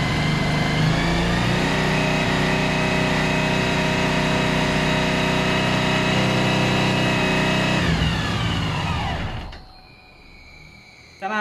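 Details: 2013 Suzuki V-Strom 1000 with a fault: fast idle with uneven stumbling beat, then dies away; sounds like a misfiring cylinder, cause suspected, not confirmed.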